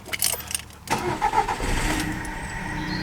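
Short crank burst then the engine catches straight away and settles into a steady, even idle; healthy start.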